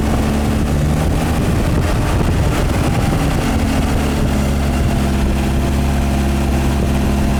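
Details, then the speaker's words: MGA 1600 roadster on a newly fitted cheap exhaust: a steady, smooth, quiet idle with no bad noises, only a slight exhaust rattle; timing a little slow and needing to be advanced; normal idle. "It runs really smooth. Quiet. Sounds just like it should."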